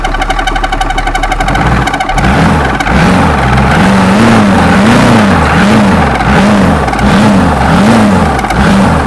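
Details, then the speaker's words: 6.2 GMC V8 diesel that had not run in 15-20 years, started on 24 volts after starter repairs: it cranks, catches after two seconds, and settles into a steady, slightly lumpy idle; it runs evenly and sounds healthy, though it may need an oil change. "I think might obviously needs some oil changing and some surfacing but that sounds quite healthy it does it's a lot of talk there"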